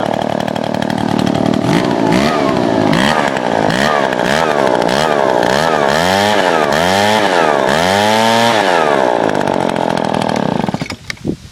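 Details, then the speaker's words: Small two-stroke engine, owned 5 years with almost no maintenance, started with a broken choke lever. Revved up and down repeatedly, pitch rising and falling cleanly with no misfires. Running healthy. "After 7 years of like no maintenance, I mean, not 7 years, 5 years I've had this thing. Still runs like top."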